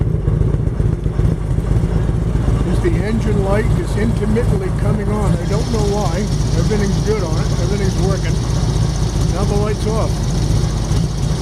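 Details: 1999 Harley-Davidson Road King V-twin, warm, on an aftermarket clone CV carburetor with changed main jet and mixture and idle screws about half a turn: steady, uneven lope, no misses or knocks, with a shop fan and a rattling lift in the background; normal idle.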